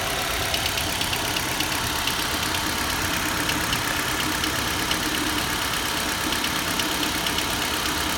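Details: Nissan Juke 1.6 HR16DE warming up and hot: fast light ticking at 1000–1200 rpm, absent at 1500 and at 800 rpm idle; dealer calls it normal injector noise, owner doubts it; cause not confirmed.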